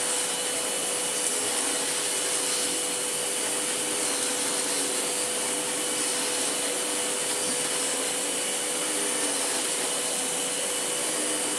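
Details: Sebo ET-H powerhead on a Sebo Airbelt C3 Power vacuum: smooth steady airflow hiss with a constant high hum from the brush motor, no rattles or dips; sounds healthy.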